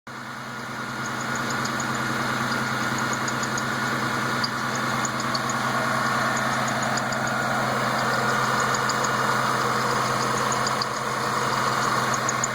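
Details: Newly built engine, all parts new, steady idle: high rhythmic chirp about three times a second from inner accessory belt; squeak, owner unsure whether bad tensioner bearing or belt.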